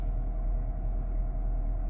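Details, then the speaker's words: 2014 Audi Q3 2.0-liter after new alternator pulley and starter replacement, hood open, hot day: low even idle with no knocks or misses; starts easily, battery light off, charging fault fixed. "Okay, we have a new pulley on and it starts fairly easy."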